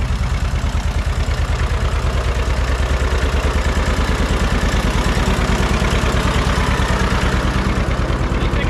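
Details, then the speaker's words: Barn-find John Deere 630 tractor, just started on first try at about half throttle with a little choke, good oil pressure. Sharp, regular ticking of about 140 a minute, locked to the idle; exhaust manifold leak suspected. "Sounds like we got a little bit of a ticking noise, too. Could be a manifold leak. That's kind of what it sounds like."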